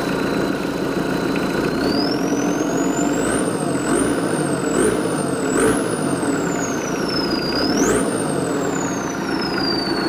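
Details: Mitsubishi 4D56 diesel with newly fitted turbo, being overhauled after compression failure; steady, even idle with turbo whistle rising and falling on light blips, oil pressure about 2 bar at 1,000–1,500 rpm while warming; normal idle.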